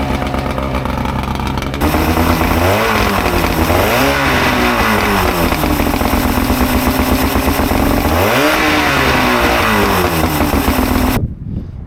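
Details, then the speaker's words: Mercury 115 two-stroke outboard on muffs after linkage adjustment: loud buzzy running, with revs rising and falling smoothly on throttle blips and no misfire or knock. The engine runs healthy. "Thing runs good. Not very much corrosion."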